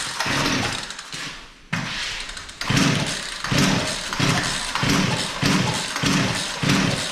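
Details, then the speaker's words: Poulan Pro P3416 34cc chainsaw, first running after revival with new plug: uneven surges one or two a second, bogging and picking up; suspected running too rich; surging and bogging. "well it wants to run i think it's actually getting a little too much fuel here so right here we're going to turn that hyper screw in just seems to be getting choked out"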